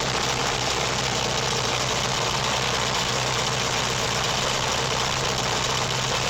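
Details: Engine on self-built MegaSquirt 2 v3.0 standalone with MS Extra code, cranked with laptop monitoring: catches and settles into steady even idle, constant hum, no knocks or misses; runs fine.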